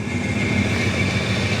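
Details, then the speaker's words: 1966 Ford Country Sedan station wagon V8, first run in about 20 years: rough, shaking idle with a steady high squeal; owner suspects water pump or power steering pump. Engine smoking, leaking brake line. "and something is squealing in there I think that's the water pump or the power steering I don't know it sounds terrible"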